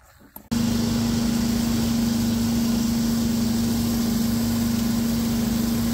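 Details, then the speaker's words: Abandoned two-stroke hedge trimmer after reinstalling the missing low and high mixture screws in the carburetor, which got the primer bulb working: snaps from silence into a high, steady, even buzzing idle with no stumbles. "And guess what? I put the mixture screws in the carburetor, and would you look at that?"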